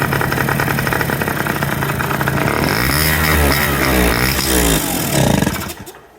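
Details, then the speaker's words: Kymco 50cc two-stroke scooter, carburetor already cleaned, no start: buzzes and revs unevenly with the intake covered by hand, then dies when uncovered; runs lean, pointing to a faulty electronic automatic choke. "it'll start and run. So, trying to figure out what the issue is here. These actually have an electronic choke on them."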